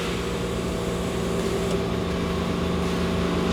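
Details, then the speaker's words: Land Cruiser with a swapped-in Chevy 350 V8 that won't start: slow, labored, uneven starter cranking about 3.5 turns per second, dragging under compression; battery is toast, engine seems to have compression. "This battery is just toast, man. Well, let's do this. If I can get just a crank or two out of it, I'll know whether I got spark, and I need to know that too. It sounds the way it's cranking slow."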